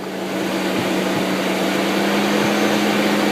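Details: Car on a cold Michigan day, engine running with air conditioning blowing cold; steady whooshing rush and low hum swelling slightly as fans speed up, even and smooth; normal cooling fan operation.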